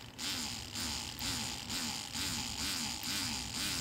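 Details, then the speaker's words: Car ABS hydraulic unit on the bench, pump motor briefly fed positive and negative directly: steady electric motor buzz with even pulse about twice a second; ABS pump runs fine. "vocês perceberam ela funcionando tá perfeito então a bomba"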